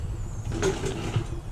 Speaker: Basically what I do is I just kind of drop it. Make sure there's no rattling, popping, creaking. And there isn't.